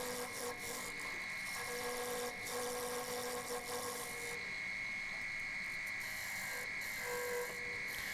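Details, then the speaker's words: Wood lathe turning a 21-inch platter with a thin stepped rim: a faint high buzzing vibration comes and goes with the cuts as the thin rim chatters against the tool. "can hear the vibration in the two West there"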